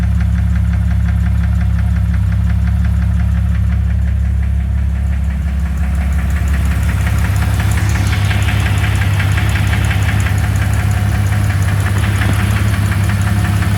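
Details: 2001 Jeep Cherokee 4.0 at idle: regular knock at nearly three per second over the engine; flexplate already new, source not pinned down.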